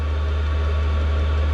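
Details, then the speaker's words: Chinese diesel heater in a shed at full output, output air reaching about 50° in a roughly 0° space: constant low jet-like roar with smooth fan hum, no pulsing or popping; normal steady burn. "let's go see our exhaust is pushing out man this thing sounds like a freight like it just sounds like a jet going off but it's hot"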